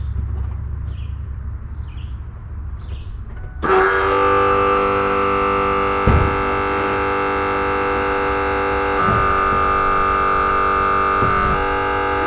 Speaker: yeah that's the fuel pump making that noise electric fuel pump